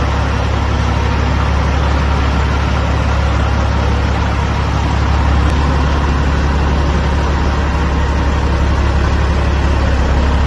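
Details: 2004 Kenworth W900L project truck with CAT C-15 diesel, just started before being brought into the shop: deep, even rumble with steady low beat, no knocks or misses; smooth normal diesel idle.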